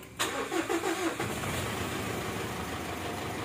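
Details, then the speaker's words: Mitsubishi Strada Triton GLS common-rail diesel that previously wouldn't start unless primed with petrol, after repair with the starter now good: under a second of cranking, then it catches promptly and settles into a steady, even idle. "hoi Dus, Alhamdulillah, nu is de starter goed en de resultaten zijn zoals gewoonlijk"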